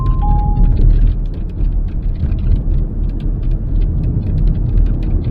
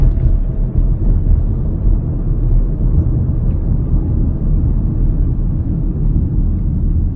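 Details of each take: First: Driving over road bumps, quick scattered high squeaks and creaks from a large panoramic glass sunroof over heavy road rumble; the sunroof seals squeak, fixed by lubricating the seals with a rubber care product, not petroleum products. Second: Inside a car with a large panoramic glass roof, driving after the roof seals were lubricated with synthetic silicone grease: steady low road rumble, no squeaks or creaks from the roof.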